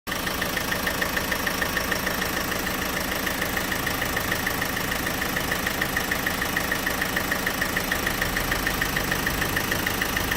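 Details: Opel/Vauxhall 1.6 CDTi diesel at idle: sharp, even ticking about three times a second in time with the engine; source of the tick unknown.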